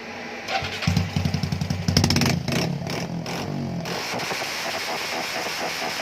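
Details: Customer's car stumbles and hesitates; injectors and ECU already replaced with no change, fuel pressure feed misconnected. On dyno, engine catches, then ragged quick pops and stumbles as revs drop before rough idle: ignition misfire.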